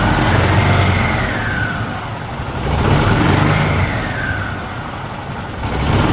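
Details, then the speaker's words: 2008 Yamaha Drive G29 golf cart, single-cylinder engine, after replacing primary and secondary (drive and driven) clutches, seat open: revs smoothly with throttle, no clatter or grinding; now very quiet compared with the previous noisy clutch and engine. "I did just fire it up wow is it so quiet now the the the clutch was so bad and you know the engine was so bad this thing was horribly noisy but it's back down to wow it's really really quiet even with the seat open"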